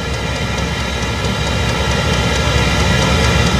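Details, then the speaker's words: Chinese diesel greenhouse heater at startup, still cold: steady fan roar gathering speed with quick light ticking about three a second; the fuel dosing pump working normally. "now it's uh really gathering speed you can tell how quick it is you can hear that clicking that's that's your pump"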